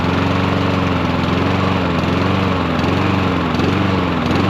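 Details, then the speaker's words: Troy-Bilt 21in self-propelled mower with a Honda GCV160 engine that runs only with the choke taped on. The engine runs steadily, but its pitch dips and recovers now and then, hunting from a faulty carburetor. "And the problem is it won't run unless the choke is on. And so actually what they've done is uh used some electrical tape to tape the choke in the on position so they can get your yard mode."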